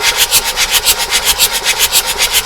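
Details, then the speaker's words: Abandoned Bedford CF van with diesel engine, barn find, oil light going out: steady even cranking about six turns a second with no firing; engine turns over freely on the starter before fuel system priming. "I can't see either but we definitely do have the Turnage"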